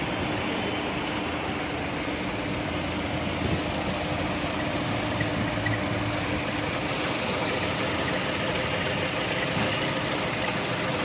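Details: 2016 Chevrolet Cruze at idle: a thin, steady high-pitched whistle sits constantly above the engine hum.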